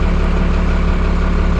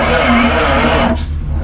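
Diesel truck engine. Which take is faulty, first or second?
second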